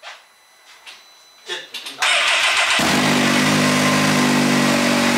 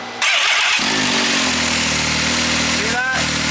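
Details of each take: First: Engine cold start on an off-road UTV after coolant over-temperature issue, checking a suspected knock: cranks briefly, catches and settles into steady even run with no tapping or knocking; noise reportedly appears only after some warm-up. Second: Engine started and left running after a coolant over-temperature code: harsh, gritty rattle over the exhaust note from one side of the motor, traced to the water pump, a stripped water pump drive gear.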